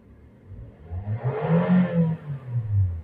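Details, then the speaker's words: Toyota/Daihatsu petrol car that had P0172 system-too-rich bank 1 and a surging, stumbling idle: after sensor cleaning or replacement and an ECU reset, with the AC on, quick throttle blips rise and fall cleanly with a crisp, even note, showing good combustion. "kondisi AC on kemudian dig gas dia lebih ngisi dari suaranya beda ya jadi pembakaran yang baik itu suaranya cenderung"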